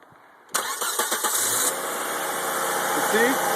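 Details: 1995 Volvo 850 with a no-start fault traced to the fuel injection relay, cranked after tapping the relay: a few quick cranking beats, about four a second, then it catches cleanly and settles into a steady idle. Normal start.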